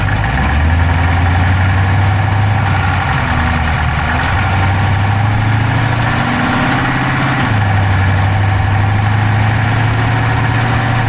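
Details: Dodge Charger Hemi V8 at idle, camera inside the engine bay on the driver's side: rapid, light ticking over a steady idle, tracking engine speed; no smoke from the pipes, owner doubts a dropped valve, source unknown.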